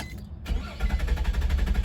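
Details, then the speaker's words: 2004 Nissan Maxima with hard starts after earlier crank-no-start: steady rhythmic cranking chugs long before catching, key must be held; hard start, cause not yet found. "hear that see after a long start then it will start you hear it see like you have to hold the key"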